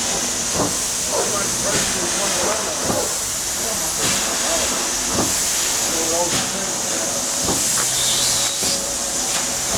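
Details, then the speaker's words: 1895 Bates Corliss steam engine, 14" bore x 36" stroke, 10 ft 9000 lb flywheel, first start in 80+ years on about 50 psi: heavy steam hiss with dull thump each stroke; connecting rod bearing needing adjustment. "shut it down again try to readjust it bearing all right now 100 years old well that's just some minor adjustment down on that rod"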